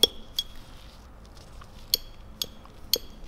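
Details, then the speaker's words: BMW S54B32 VANOS rebuild, third and fourth solenoid valves on the bench after magnet cleaning and spraying: sharp metallic clicks at irregular intervals; switching crisply, clearly audible now where previously inaudible; normal. "this is the third one and the fourth one clearly pronounced now previously you were not able to hear it"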